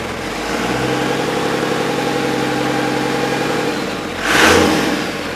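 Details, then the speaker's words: Cummins diesel in a 1942 Chevy truck, first start on temporary wiring, turbo not hooked up. Catches within a couple of turns and settles into a steady, even run with a smooth rev; no misses or knocks, running healthy. "That made me feel good. It's always a good feeling when your project starts."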